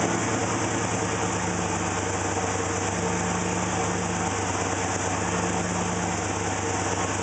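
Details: Rough idle: steady idle with a faint uneven pulse wavering underneath; cause suspected but not confirmed.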